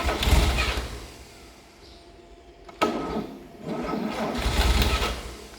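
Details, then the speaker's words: 1954 Chevrolet 261 six, out of a vehicle and still on its transmission, first start after about 40 years sitting in a dry shed: two rumbling firing bursts catching and fading, no knocks or grinding; fires up soundly. "but other than that it sounds pretty good just on its initial um fire over so we'll do a little bit more work on it but wow 40 Years of sitting and it's here ready to go ready to run"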